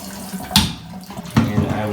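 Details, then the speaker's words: Tub spout after fixing a diverter that squealed and whistled; water runs steadily with a couple of light knocks, no squeal or whistle: normal tub spout flow, no whistle. "as you can see or hear there is no whistling or Screaming sounds"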